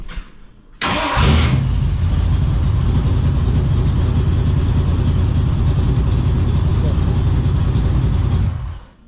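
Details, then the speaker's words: 1967 Mustang with a newly installed Powermaster XS Torque starter: short crank, then catches cleanly into a strong steady idle with no grinding. Solenoid still suspected bad. "well I do like the way it starts up yeah it sounds good"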